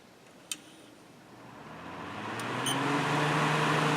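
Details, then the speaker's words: Kenmore dehumidifier, fan motor after cleaning and extra oiling: click at switch-on, then smooth hum climbing steadily in pitch as fan spins up quickly; motor sounds free and healthy. "pretty good I would say definitely good rev up speed with the extra oiling so it should have helped some"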